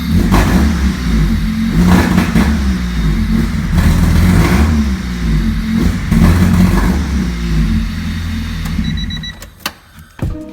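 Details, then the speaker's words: Honda Civic EG with newly installed D16Y8 engine revved repeatedly: revs stumble and fade near the top instead of climbing cleanly, a high-rpm misfire or breakup; cause unknown. "Okay, so the car is on. Now listen for the breakup."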